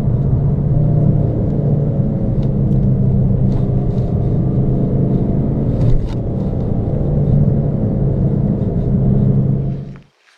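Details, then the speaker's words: VW Golf V driving with the wheel held straight but pulled right, front wheels torqued to 120 Nm: steady road roar and droning hum from the tyres. Poor alignment after hitting a kerb median left the front-left wheel toed in. "donc lâche pas si vous l'entendez mais les pneus font du bruit donc le parallélisme doit pas être bon"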